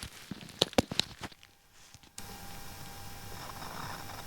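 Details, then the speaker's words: ATOTO F7G2A7WE car stereo bench-tested on a switched 15 A fused supply with power harness, wired connection: after clicks and handling, steady hiss with faint thin whistle through the speakers; noise changed but persists, cause unknown. "so the noise is a bit different at the moment but it's still there"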